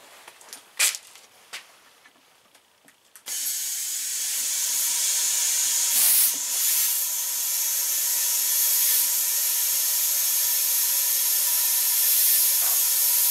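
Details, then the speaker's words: Tire treated with a water-based sealant: steady loud high hiss of air escaping at the tire bead where it seats on the rim. "here they hissing right out of the beat so this product will work perfect in this tire"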